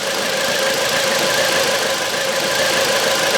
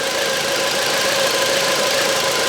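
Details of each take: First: 2009 Volvo V70 (phase 2), codes P0303, P2008, P0325: uneven idle with stumble and ticking; cylinder 3 still misfires after swapping coils, coil and new plug ruled out, oil in cylinder suspected; misfire at idle. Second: 2009 Volvo V70 with misfires and codes P0303, P2008, P0325, P0138; listening to a fuel injector while running: crisp, even, rapid ticking with no misses, so the injector works normally; oil-fouled spark plugs on cylinder 3 suspected.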